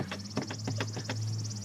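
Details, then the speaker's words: Chevrolet Corvette front bumper pressed lightly with one finger: short high chirpy squeaks, about eight in two seconds; bumper loose on its mounting bracket and rubbing, squeak audible in cabin. "and it makes this weird squeak sound. It's all over. This part is like the worst."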